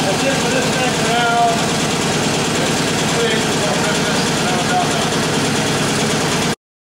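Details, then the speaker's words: Warm 1947 Indian Chief V-twin idling after a complete engine rebuild, with an even, loping pulse and steady loudness, no tapping or knocking over the exhaust; healthy normal idle. "i'm going to start it up so you can hear it when it's supposed to sound like there it is"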